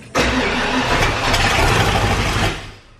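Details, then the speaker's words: Bronco on first start after cylinder head replacement and FiTech EFI install, temporary wiring: catches and roars a couple of seconds then dies immediately; fires but won't keep running, suspected FiTech wiring issue, not confirmed. "so it sounds like we have an issue because it's firing and then immediately dying which I've heard a lot about with this fight Tech stuff"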